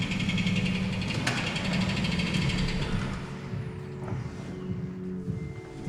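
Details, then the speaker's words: Toyota Tacoma idling with a light, quick clicking about three or four a second from a flexplate cracked in several places, suspected from prior dealership transmission work. "What in tarnation is that noise? That's the Flexplate clicking. Cracked Flexplate."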